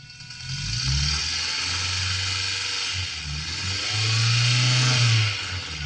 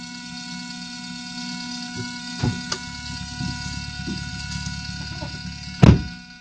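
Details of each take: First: 4EFE turbo engine heard through a DIY knock-monitoring pickup into the car stereo: hissy signal with low engine tone climbing and falling on two light revs, no sharp pinging, so no detonation. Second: Idling turbo 4EFE engine fitted with a DIY knock-monitoring kit, heard through a stereo aux input: a few sharp ticks from a fingernail and then one loud clack from a pebble tapped on the knock sensor, simulating detonation.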